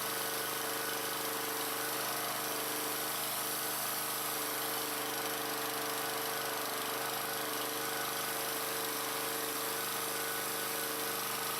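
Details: Troy-Bilt pressure washer after pump replacement, first test run with water pressure hooked up: steady small-engine drone with a constant high pump buzz, no surging or pitch changes.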